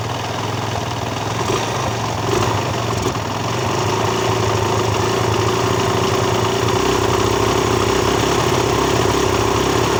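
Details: Old Honda 200 single after timing chain tensioner reinstalled (chain previously noisy, tensor not reaching it): even idle about four beats a second, no chain rattle, music partly covering it.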